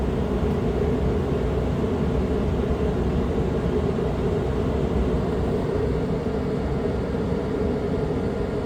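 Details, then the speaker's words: Suburban propane furnace in a Dynamax RV, heard from the back bedroom after acoustical sound panels were placed in front of the furnace behind the return air grille: steady even burner and blower roar with no rattles or surges; smooth, quieter normal operation. "coming back from the back bedroom now I can hear the furnace running but in a much quieter manner"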